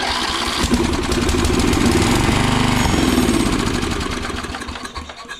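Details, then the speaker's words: 1979 Snapper riding mower from an estate sale: engine catches quickly and settles into an even steady beat about three and a half per second; starts easily and runs normally. "Wow, that was easy. That was very, very easy."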